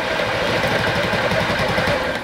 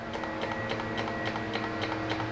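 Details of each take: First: Honda Ruckus after cleaning clogged carb jets, first start attempt: fast uneven chugging as the engine catches briefly then dies; hard start, won't keep running. Owner suspects a valve issue, not confirmed. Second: Honda Ruckus at key-on, low fuel with tank tilted, after carb jet cleaning: quick even ticking about seven clicks a second over a faint hum; electric fuel pump priming normally.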